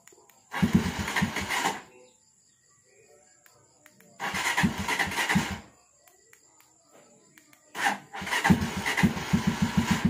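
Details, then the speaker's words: Motorcycle remote start after Z200 alarm installation, cold engine: three start attempts, the first two fire briefly and die, the third catches into a low, lumpy idle; owner deliberately set the idle low; warm or properly set, one start suffices. "So ayan, medyo mababa ang minor natin kaya nakatatlo tayong start. Pero kapag mainit na siya, 1 start na lang yan. Or kapag tama ang minor nyo."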